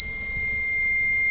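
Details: Microtek Super Power 912 12V inverter on mains: constant high-pitched beep; the 15 V zener (13 V/7 V readings) tested fine in-circuit yet was removed and replaced with a through-hole 15 V zener.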